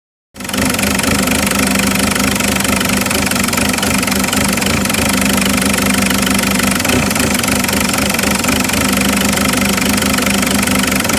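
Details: Isuzu 4JX1 diesel at idle, checked with Tech2 data: loud clatter with an uneven, lumpy pulse that never settles; rough idle.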